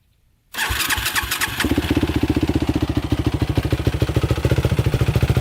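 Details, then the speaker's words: Yamaha YFZ450 quad cold start before a ride, suspected leak near clutch area: catches after a brief crank and settles into a fast, even thumping idle; owner notes the cooling fan never seems to come on. Normal cold start. "Starts right up, no problem. Get her nice and warmed up before take her for a ride."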